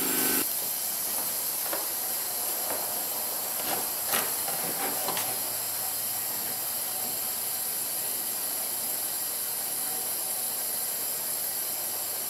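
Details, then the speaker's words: 2007 Honda Ridgeline 3.5 V6, about 79k miles, rough running and misfire with low cylinder contribution; leak-down test gives a steady airy hiss, substantial blowby past the rings into the crankcase. "well folks that is a substantial amount of blowby so what we're going to have to do uh we're going to have to pull the spark plug out of its companion cylinder"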